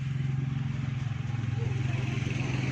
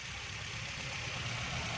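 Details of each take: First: 2008 Toyota Corolla petrol cranking without starting, dash lights on, no spark at plugs; steady starter churning about three turns a second, never fires; crank no start from broken crankshaft position sensor wire. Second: 2008 Toyota Corolla idling after repair of a faulty sensor wire that had caused no-start; quiet, even idle with steady low hum, no stumbling or misfire; normal idle.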